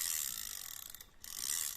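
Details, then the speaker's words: Used Japanese-made Shimano Aerocast 2000 spinning surf reel, turned forward: fast even clicking, steady rate, no grinding or catches, stops cleanly; smooth normal reel operation. "ผมเดินหน้ามีเสียงแบบนี้นะครับผมลื่นประมาณนี้"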